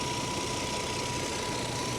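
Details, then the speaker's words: 2001 Cadillac Catera, about 40–45k miles, after a long sit then a hard drive, hood open: smooth even warm idle with a faint constant high whistle, no knocks or misses; purrs, sounds healthy. "cool it looks good yeah Pur like a kitten man what a great little car"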